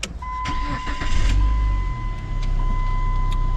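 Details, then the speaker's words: 2002 or 2003 Chrysler Neon after a jump start: short crank, then it catches promptly and settles into a steady even idle under a constant chime; odometer good, fuel gauges no longer flickering, a normal start. "you see this time it gives us our odometer is good our fuel gauges are no longer flickering everything looks to be pretty good"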